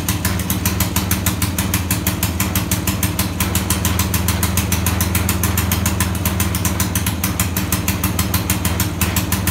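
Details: 1921 Cleveland two-stroke motorcycle, first start in 40 years after magneto rebuild: quick steady popping idle over a deep exhaust thump, slightly lumpy; looks to be running a little rich.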